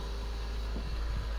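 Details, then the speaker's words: Mitsubishi Lancer after fixing misfire/rough idle that began after washing the engine bay; cause was rust in the coils and plugs. Now a steady, even idle with no misses, engine light gone, revs rising normally. "Perfect हो गया बिल्कुल perfect हो गया engine light जा चुकी है गाड़ी smooth हो गई है कोई मिसिंग कुछ नहीं खुद इसने नॉर्मली आरपीएम उठाया"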